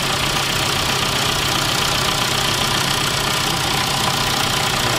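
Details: BMW E87 123d with a replaced second-hand N47 bi-turbo diesel engine, first start after installation: steady idle with the usual even diesel clatter, no misfire or heavy knock; sounds like a normal idle.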